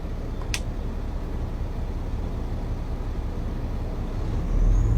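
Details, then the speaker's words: Diesel commercial truck, sitting and possibly not at operating temperature, parked DPF regen started by holding the dash regen button: low idle with an air hiss, then engine steps up to a higher steady speed as regeneration begins. "And you will hear it rev up. So, DPF regen occurring. Let cleaning cycle complete."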